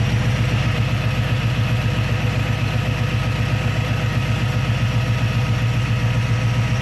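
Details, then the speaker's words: Carbureted engine after installing and timing a Holley carburetor: steady, even low rumble at idle with no misses, knocks or hunting; idling smoothly. "all right so she's idling pretty good behind me here"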